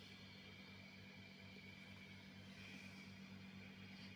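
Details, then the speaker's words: Laney Cub 12R valve guitar amp, warmed up after its squealing and hum were fixed by cleaning insulating paint to bond the two chassis halves: idles quietly with only a faint low hum and soft hiss, a normal noise floor. "the amp is warming up it sounds nice and"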